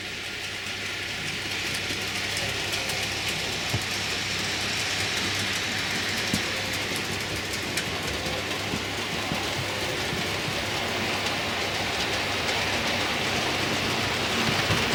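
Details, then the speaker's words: Model train loco running over a track joint after the track was heat-levelled to fix bouncing: steady rolling whirr, light even clicking, no bangs or bouncing; runs absolutely smooth, normal running. "As you can see, she runs absolutely smooth."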